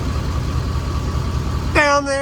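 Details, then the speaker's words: Ford F-250 6.7 L Powerstroke diesel after oil change and CAT oil filter conversion: low even idle rumble with no clatter or ticking; smooth, healthy. "no clickety-clack like I hear a bunch of people saying that they get smooth real smooth"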